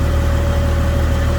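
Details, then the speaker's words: Jeep A/C compressor after an A/C Pro leak-sealer recharge, now running continuously as a steady low drone with an even hum, the clutch no longer cycling in and out; vent air feels cooler, reading 77 then 73. "bam so that that the sound change yeah so now that the system's consistent you hear the clutch not kick in and out I think this is actually gonna work"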